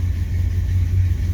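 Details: 1929 Chrysler coupe with Mopar 360 small-block V8 and 727 automatic, just after cold start: deep, steady low rumble with no knocks or stumbles, AFR 14 (about 13.5 when warm); healthy cold idle.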